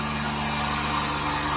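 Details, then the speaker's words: Vacuum pump on a new 1600-liter mixer during vacuum-function test, empty chamber, lid bolts fastened, vacuum reached about 0.09 and rising slowly; smooth even hum, low drone, soft hiss, very low noise, running stably and normally. "Very low noise. The whole system. Okay, I think this can meet the requirement for the vacuum function."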